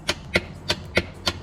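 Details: Warn V4000 winch on a Kawasaki Mule Pro FX, key on with good battery: sharp dry solenoid clicks about three a second with no motor whir. The solenoid chatters but the winch does not turn; power and ground were being tested.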